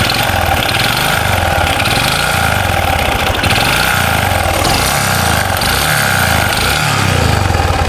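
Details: Honda Supra 125 revved in bursts: harsh metallic rattle on each rise, described like a chain and dominating two areas of the engine. Worn connecting rod big end.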